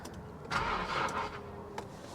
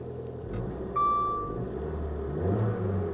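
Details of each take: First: 2010 Infiniti G37(S) manual, salvage-auction car listed as run-and-drive, on a jump pack with 12 volts present: a short burst of cranking dies away without the engine firing; crank, no start. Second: 2010 Infiniti G37 manual salvage car, just started after a hard start, with electrical issues (flashing dash, infotainment cutting in and out, suspected power issue): low engine rumble swells smoothly when revved and settles back, short chime over it; healthy rev.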